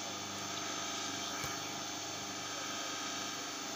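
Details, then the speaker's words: 15 kW rotary phase converter motor, cooling fan removed, live phase about 3.2 A, stays cool after hours running: smooth even hum with steady high-pitched whir, no rough patches; normal running. "THIS LIVE PHASE THE MOTOR RUNS IN BEAUTIFUL QUIET IT DOES NOT WARM UP AFTER SEVERAL HOURS OF OPERATION"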